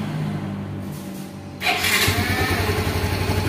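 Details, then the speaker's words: Yamaha Mio M3 / X-Ride Blue Core scooter after throttle/air-fuel control reset: starter whirr, engine catches at once and settles into a steady, even idle around 1450 rpm with a quick regular beat; normal start and idle. "untuk hidupnya motor enak ya langsung di 1450 kita Biarkan aja dulu"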